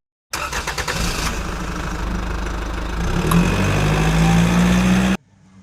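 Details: Kia Sportage hard start: sluggish, laboured cranking about three turns a second for several seconds before it catches, due to slow rotation of the starter motor.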